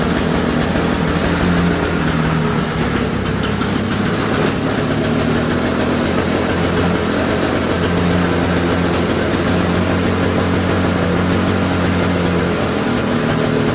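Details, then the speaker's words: Old Toro snowblower, cold start after sitting unused since 2021, started without starting fluid in fewer pulls than expected; steady, even small-engine chug with no misses, surging or knocks, normal running. "so yeah i thought that was gonna take like 20 pulls honestly i did but the old toro"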